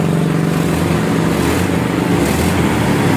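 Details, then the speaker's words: Honda Vario Techno 150 scooter after a gutted (bobokan) muffler was restored toward stock, rear section layered rather than removed: soft, even, low putter with no rasp; quiet, normal stock exhaust note. "Oke bro, kayak gitu ya. Jadi hasilnya kurang lebihnya seperti itu setelah kita standarin lagi bro."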